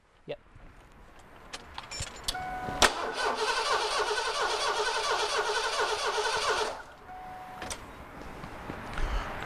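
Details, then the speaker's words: Ford F-150 cranking for about four seconds with the coil wire off and a compression gauge in the misfiring cylinder. It reads about 25 psi, far below spec, so it cannot fire. Low compression in one cylinder. "kind of reading we got here looks like about 25 yeah that's way below specification um we should have around 15 to 180 on this engine"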